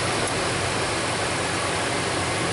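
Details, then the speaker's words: 2001 Dodge Dakota 4.7 V8 after repairing a P0171 lean code, fuel trims and O2 activity now good: quiet, steady hum at a slightly raised fast idle, no ticking, puffing or uneven beats; normal healthy idle. "kick her up on a little bit of a faster idle this thing so quiet it kind of reminds me of a Prius yep definitely sounds like a"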